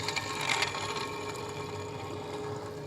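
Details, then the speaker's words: Ford F250 Super Duty idler pulley, removed and spun by hand: a dry, rattly whir with faint knocking from its worn-out bearing. "All right, there she is. Yep, she's a little worn out. Hear that? There's a knocking."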